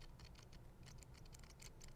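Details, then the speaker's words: RC drift car (Fantasy 2) steering servo at rest, powered on: quiet, uneven fast ticks and buzzes, servo still trying to move wheels slightly even under hand tension; servo chatter. "so servos chattering away even when I put that tension on it it still wants to talk like I can feel it trying to move the I can feel it trying to move the wheels just ever so slightly"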